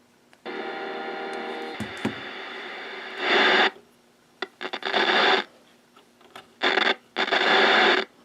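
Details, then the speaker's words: Bearcat BC-210 radio scanner rescued from a dumpster, tuned to 445.0: bursts of hissing static cutting in and out with scratchy crackles as the controls move; dirty potentiometers. "Well, the pots are dirty. Too fast. That didn't sound good."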